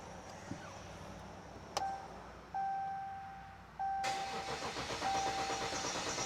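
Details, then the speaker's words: 2014 Ram 1500 EcoDiesel after priming air out: several seconds of slow uneven cranking with chime before catching; extended crank, possibly air still in system. "H still a long crank still kind of a lone crank there could still have some air in it"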